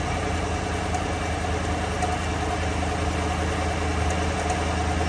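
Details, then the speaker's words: 2015 Chevy Silverado 6.2L direct-injection V8 idling with a live cylinder 5 misfire: slightly uneven, loping beat. Compression matches cylinder 3, plugs and coils ruled out; suspected lifter rising too high and holding the valve open. "okay start it up and let it idle cylinder five okay current misfire cycling up"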